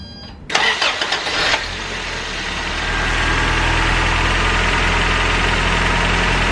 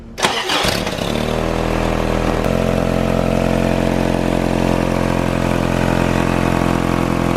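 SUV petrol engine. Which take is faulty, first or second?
second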